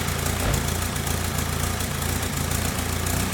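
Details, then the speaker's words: VW Caddy 2K with newly installed 2.0 BKD diesel engine, first start: even, steady diesel clatter at settled idle with no knocks or misses, idling healthily. "so that's a van done dusted engine runs that's good obviously I didn't know anything about this engine sounds good"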